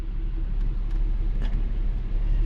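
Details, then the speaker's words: Nissan Xterra, 225,460 miles, original factory AC compressor before replacement, AC off: low steady idle rumble, no squeal or knock; sounds normal. "So this is the truck now, just idling. Sounds kind of normal."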